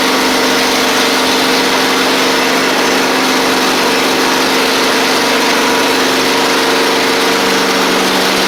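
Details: Husqvarna YTH24V48 riding mower, Briggs V-twin, after replacing the oil seal, sump gasket and blades, with choke and throttle cables refitted: a steady, even drone with constant pitch and no knocks or surging, so the engine runs smoothly.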